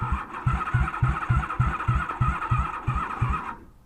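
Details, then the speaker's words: 1994 Honda Magna 750 VF750C after running out of fuel, switched to reserve: the starter labours at about three and a half compressions per second, then fades to silence as the weak battery dies. "all right guys i'm convinced of two things my battery is weak and my bike ran out of gas so both two things"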